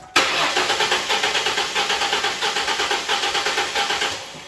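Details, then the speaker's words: 2001 Mustang V6 cranked with one spark plug removed during a compression test: starter at about six pulses a second with an uneven, limping beat, demonstrating how low compression in one cylinder sounds. "so if you had a low compression in one cylinder that's what it would sound like"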